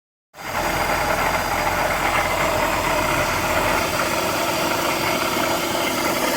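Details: BMW E46 330i ZHP petrol six idling cold with a fast metallic rattle over its hum, cause unknown. Tensioner and deflection pulleys and the DISA are already replaced, and the VANOS was rebuilt with an anti-rattle kit.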